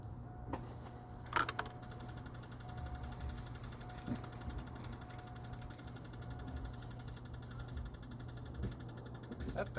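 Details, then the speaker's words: 6.0 V8-swapped Silverado on its first start attempt after the fuel pump install, accessory belt removed: fast, even fuel pump relay clicking over a low hum with no start. The battery had sat out for months; the owner blames the TAC module. "doesn't sound happy does it no at first I thought my battery wasn't happy because it had been sitting out of the vehicle for a couple months but then noise we're hearing is the fuel pump relay this is actually being caused by the throttle actuator control module or Tac module"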